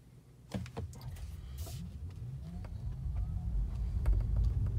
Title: More of the crackling Sound from my TM3